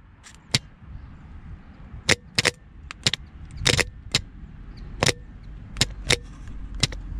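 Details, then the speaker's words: Starter motor bench test: sharp irregular clacks, about ten in seven seconds, with no motor whir after any of them. The solenoid throws but the burnt starter motor doesn't spin. "ouais c'est le démarrage est cramé"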